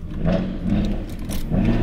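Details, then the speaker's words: BMW M335i on a 3000 km European road trip, about 1500 km in, check engine and reduced power warning in Monaco: lumpy uneven idle with recurring stumble in the exhaust beat, running on five cylinders; engine misfire, cause unknown before OBD2 scan. "I ako možete čut, auto radi na 5 cilindara opet. Nije mi jasno šta se sad moglo dogoditi."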